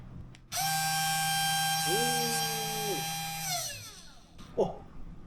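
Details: Genmitsu 3018-PROVer V2 desktop CNC mill spindle: spins up to a clean, steady high whine with no rattle or roughness, then winds down smoothly. A quiet, healthy spindle.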